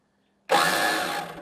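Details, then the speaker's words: Snapper riding mower, believed 1990s, with new battery, PTO off, choke on: about a second of harsh starter whirring without the engine firing; owner suspects a bad starter, will try pull start. "sounds like we have a bad starter but we do have a pull start back there so let's try"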